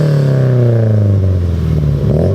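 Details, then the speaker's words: Subaru BRZ with new center-exit exhaust, revving: faint tinny clatter over the exhaust note, like a loose bolt inside the muffler; owner suspects loose baffling, as happened on a previous muffler. "something that I want to know right off the hop is it sounds like there's an exhaust bolt but it sounds like it's in the muffler"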